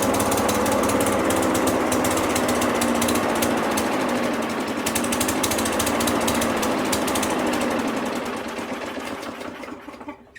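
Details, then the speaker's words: Craftsman mower with Briggs & Stratton engine, first spring start after sitting, restarted after a 30-minute cool-down: fast rough chatter, loping unevenly then sagging and fading; owner suspects old fuel in the carb bowl with new fuel in the tank. "To be completely honest, what I think is happening right now is I think the old fuel is in the bowl and the new fuel is in the tank."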